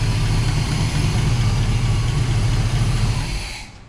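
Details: 1977 Pontiac Trans Am V8 after carburetor rebuild, new electric choke, working accelerator pump and vacuum leaks plugged: deep steady burble, even idle with no misses or knocks before shutoff; better throttle response.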